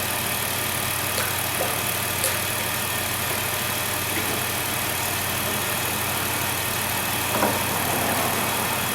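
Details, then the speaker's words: High-mileage 2008 Dodge Grand Caravan, replacement 3.8 L engine idling to warm up after coolant fill: steady even idle with a smooth low hum, no knocks or misses; settles in cleanly. "I'm going to let it heat up all the way"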